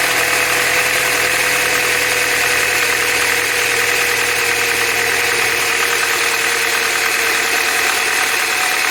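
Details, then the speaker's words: 2005 Chevy Cavalier, Ecotec 2.2L, cold startup before repair: steady idle with fast dry metallic rattle over the hum, timing chain rattle from the old-style timing chain tensioner, which is being replaced. "We're going to change a timing chain tensioner on a 2005 Cavalier that is causing this sound at startup."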